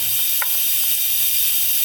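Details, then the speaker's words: Turbocharged Cadillac Escalade V8 with intake pressurised: steady, sharp air hiss with no rhythm from the rear number seven injector, whose intake-side o-ring is not sealing, and injector angle suspected; boost leak at injector o-ring. "you hear that that's actually the rear injector number seven injector all that air is getting pushed out so the o-ring on the intake side is not sealing and the number one is leaking"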